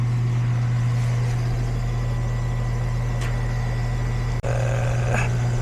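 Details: Goodman AC condenser on a no-cooling call where the compressor wasn't running; capacitor tested good at 35, wiring reconnected with a spade connector and retightened, at start-up: compressor settles to a steady low hum with smooth fan whoosh, no buzzing or chatter.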